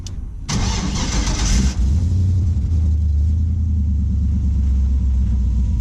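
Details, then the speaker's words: 1949 International KB2 with E38 ECU with basic tune and a fuel cell holding over-a-year-old fuel: a short crank, then a deep low rumble that stalls without a clean idle; crank no-start, old fuel or a restricted air intake suspected. "what's that sound it's stalling yeah your fuel cell"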